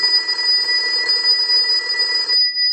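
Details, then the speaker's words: AE Monophone 40 rotary desk telephone after repair and conversion, final checkout rung from a line analyzer and heard through an amplified pickup: clean, steady bright ring for about two and a half seconds, then a sharp stop; ringer working properly. "now what we want to do is we want to go ahead and use the analyzer and will ring the unit"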